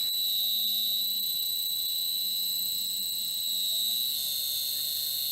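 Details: New replacement three-phase motor on a shaper, fed from an inverter, run at low speed on the floor: steady high-pitched drive whine over a faint low hum, turning slowly and evenly, a little noisier than the ABB; healthy run.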